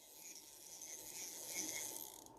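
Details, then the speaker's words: Vintage Garcia Mitchell 410 high-speed spinning reel after cleaning and reassembly, cranked by hand: steady bright gear whir with light clicker clicking, no bearing noise; normal gear noise expected to smooth out with use. "feels good I don't feel any bearing noise just that got that noise from the clicker they have a lot of gear noise anyway but it'll get smoother as it gets"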